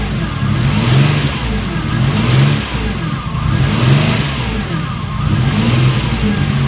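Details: Alfa Romeo GTV 2.0 V6 Turbo, first start after rebuild, AFM-to-MAF conversion not yet tuned, aux belt needs re-tensioning: engine note surges and sags about every 1.5 seconds, never settling to an even beat.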